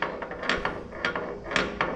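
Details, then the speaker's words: Oliver 550 tractor during hydraulic pump replacement: irregular hard clunks and ratchety clicks as the three-point hitch arms are moved by hand; feels like something is unhooked from the piston, cause being investigated. "We're going to find out what's making that noise. Almost feels like it's there's something unhooked cuz I don't feel like I'm hooked to a piston."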